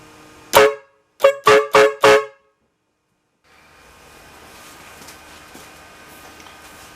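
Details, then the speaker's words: 2005 Jeep Grand Cherokee with a newly installed HornBlasters Psycho Blaster V2 Nightmare Edition train horn, first test: one blast then four quick loud, clean, chord-like blares; horn works strongly. "So we just go ahead and press this. It works."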